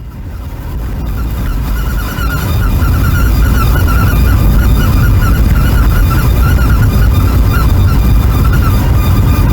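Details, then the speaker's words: Car wheel squeal, a thin high note over road rumble rising with speed and dropping as it slows, also at full steering lock. It comes from a hub/knuckle dust shield bent by a mechanic during CV joint replacement, rubbing. "именно такой раздражающий звук выдают автомобиль при езде чем больше скорость тем больше писка когда машина не в движении Может попискивать может пропадать"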